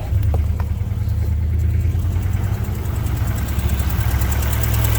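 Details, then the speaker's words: Car at about 120,800 miles idling after new motor mounts replaced worn ones: steady, even low idle with smooth rumble, engine sits solid with none of the earlier wobble; normal idle. "Still runs though. Still starts right up. Oh, that's solid. None of the wobble. None of the wobble."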